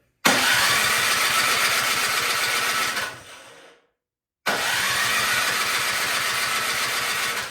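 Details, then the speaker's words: Craftsman snow blower with fresh oil and gas in the tank, on choke, throttle at turtle, primed, key in: two three-second electric-starter cranks that never catch. Spark confirmed good, so fuel is not getting from tank to carburetor. "all right so that tells me we have something going on getting the fuel from the gas tank to the carburetor"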